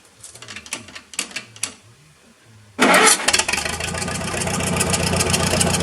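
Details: Massey Harris 44 Special tractor, restarted after cleaning the sediment bowl, flushing bad gas and fitting a charged 12V battery: slow cranking, then it catches cleanly into a steady idle. It fired right up with no smoke; it has a hydraulic leak.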